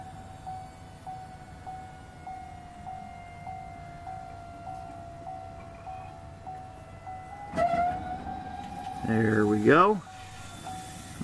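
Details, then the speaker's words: 2016 Chevrolet Colorado 2.8L Duramax diesel, about 24,000 miles. Right after a fuel filter change, the key is turned to on without starting. The lift pump gives a soft electric whir with a light tick until the system fills and the air is purged, then it settles. "you should hear this thing fill up and you should be able to hear when it does get full"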